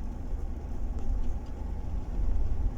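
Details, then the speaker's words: 2012 Chevrolet Tahoe after spark plug replacement, misfire detected cylinder 5; low uneven idle with irregular stumbles that worsen with throttle, an electrical misfire from a plug likely cracked during tightening. "الآن هذا ضعف كهرباء، اللي قبل شوي كان ضعف بنزين. لاحظوا هذا 5 باقي موجود."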